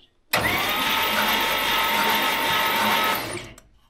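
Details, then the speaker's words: Abandoned 1956 Oldsmobile 88, long stored and partly disassembled, no compression tester: about three seconds of fast free starter whir with hardly any cylinder pulsing, doesn't sound like much compression but turns over; possible low compression suspected. "doesn't sound like a lot of wind but it turns over"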